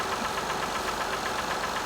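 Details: 2005 Acura TL at 172,300 miles, cold start and rev: quick, even tapping about seven or eight times a second rides over the running engine, a clear knock from inside the motor.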